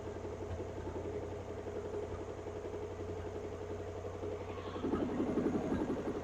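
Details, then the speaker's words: Barn-find 1957 Ford Thunderbird, off the road over 50 years, restarted for a heat cycle after coolant and power steering fluid added: raw, loud idle with steady low pulsing; loud exhaust, thought to be open headers. "wow that's cool I think it is about open headers so there can't be much exhaust on that"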